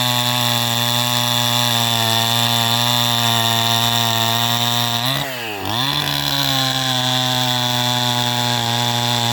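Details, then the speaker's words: 2010 Stihl MS261 Gen 1 at 8,000 ft, high-flow intake and exhaust, rebuilt carb tuned fat with limiters removed, about 90% compression, new Oregon chain: strong steady high buzz that bogs briefly mid-cut then recovers cleanly; saw pulls well, runs rich, won't reach race speed. "he's still getting a lot of fuel because I going to put it in the wood he still for you still hear that it's not doesn't it doesn't it doesn't step up to that Race speed"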